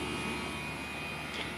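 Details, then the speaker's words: Carrier Greenspeed 3-ton heat pump with variable-speed compressor, variable-speed outdoor fan and suction refrigerant muffler, running cooling mode at 100%: steady airy fan rush with a smooth compressor hum, no rattles or surges, very quiet; normal full-speed operation. "it's a running cooling mode right now at 100% it's a variable speed compressor variable speed uh outdoor fan motor it's very quiet"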